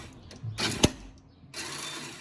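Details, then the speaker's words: 1986 Kawasaki Bayou 300 ATV starting: a few light clicks, then the starter whirs without catching the engine, which only catches occasionally. Starter one-way clutch slipping; owner suspects the sprocket rather than the one-way bearing. "Clicking, it wants, that's the one-way bearing working, it wants to catch it, but it's not."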